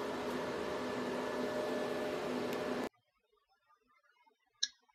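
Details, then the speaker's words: Antminer L3+ ASIC miner about eight minutes after swapping to quieter fans, stock settings, fans around 2000 and 3000 rpm: soft even low-speed fan whoosh with no rattle or whine, temperatures still acceptable, much quieter than the factory fans. "the fans are really really running at a lower speed but still the temperatures are uh are still in the acceptable range"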